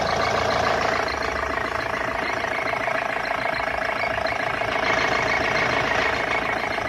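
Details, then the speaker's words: BMW E46 with M47 136 hp diesel at steady idle: faint thin whistle above the clatter near the turbo, like a pulley though none is there; fades with a little throttle; belt checked fine, source unconfirmed. "Но свистит вот в районе КВД и турбины. Такой, как будто ролик, но там ролика блядь, нету."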